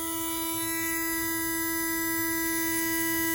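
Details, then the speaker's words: International fire truck with a Detroit Diesel at startup after air-leak repairs. A loud, steady high buzz over the engine; the low air pressure warning buzzer is working. "Oh, I was like, man, that low air buzzer is loud now."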